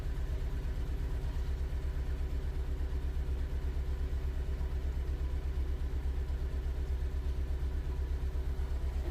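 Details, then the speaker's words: 2011 Ford Ka 1.2 with P0203 code, started after clearing codes and refitting the airbox: low, lumpy idle stumbling about three times a second with a shaky thump. Still misfiring and running rough. "so we're going to start this thing and is running like crap"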